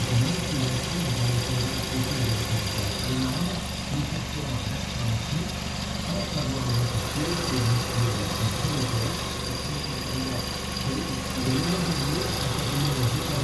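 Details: 2006 Kia Sportage 2.0 L at idle: a wavering, chirpy rubbing tone in uneven cycles from the idler pulley. Suspected to need pulley replacement or tensioner adjustment; cause not confirmed.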